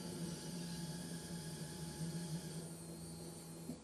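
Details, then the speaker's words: Holden Gemini project car with new custom fuel tank, fuel pump priming on key-on before first start: steady low electric hum for just under four seconds then cuts off cleanly; normal fuel pump priming. "Not really? Well, I think that's a good sound. it was a good sound."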